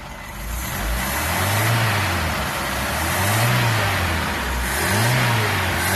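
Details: Mk3 Ford Cortina Estate with rebuilt carburettor, warmed up after running on choke: smooth even idle with three clean throttle blips, revs climb and settle with no misses or knocks; idles and revs as it should.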